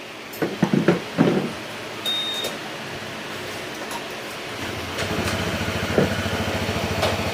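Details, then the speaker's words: Honda PCX160 scooter, about 45,000 km and nearly five years old, after an engine overhaul with new piston and rings that cured a boat-like engine noise: after handling clatter it settles into an even, steady idle with no knocks; back to stock sound. "Okay yan rin niyo yung tunog niya back to stock na yung tunog"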